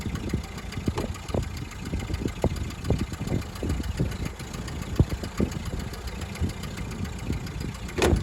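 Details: 1929 Ford Model A coupe at startup idle before repair: uneven, lumpy idle with sharp puffing ticks breaking through the low rumble; exhaust leak, to be fixed before sale.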